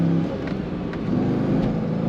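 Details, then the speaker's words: 2001 Chevrolet Corvette C5 convertible, 5.7L LS1 V8, 49,326 miles, on a test drive: engine note climbs smoothly under load toward about 4,000 rpm with road and wind noise, no roughness or knocking; normal healthy acceleration. "There we go. Closer to 4,000 RPM. You really feel the power kick in."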